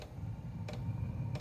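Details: Chinese diesel parking heater repaired after power outage E-8 no-combustion error: sharp, even dosing pump ticks about every two-thirds of a second over low burner rumble; fuel delivered normally.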